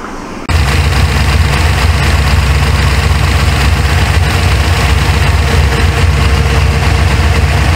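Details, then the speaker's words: 1977 Corvette C3 L82 with 383 stroker and 5-speed Tremec, after setting ignition timing with a timing light (timing had been way too high); deep steady V8 idle with even lope, no misses or knocks, sounds much better. "okay about right there time way too high I'm sure famar with the VIS G but I think I got it sounds a lot better too"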